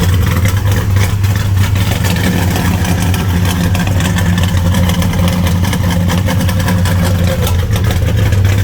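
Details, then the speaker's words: A 1975 Plymouth Roadrunner that sat for about 20 years, running on the battery: a low, uneven idle with a stumbling beat. It possibly flooded and sounds lean; the cause is not confirmed. "It's doing something. Might be flooded. Runs a little rough. Oh. Yeah, that sounds like it's lean."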